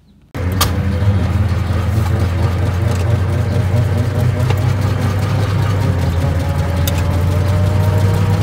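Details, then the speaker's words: 1920 Ford Model T barn find, sat about 10 years, first start after carburetor cleaning and points work, hand-choked: low, lumpy run on only one or two cylinders, timing being adjusted; misfire from stuck valves, number three valves stuck open. "it's really only running on one or two so it sounds like one sounds like the the 199 brush having a little issues here see what we can come up with but it's definitely not running good"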